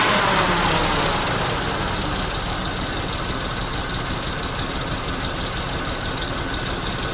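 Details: ZIL crane truck V8 petrol engine revived after 20 years standing: keeps running unevenly, chuffing and faltering as it sags; misfiring and puffing because it used up all the petrol.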